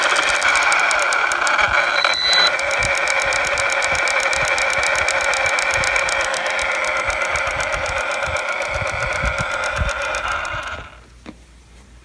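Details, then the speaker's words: Losi Lasernut U4 RC truck: drivetrain clicking, not from the wheel bearings, front or rear diff suspected. Steady motor whine with rapid, uneven ticking; loose ring and pinion mesh in the front diff with excess play. "I know it's not coming from the front or rear wheel bearings. It's coming from the drivetrain, either the front or rear differential."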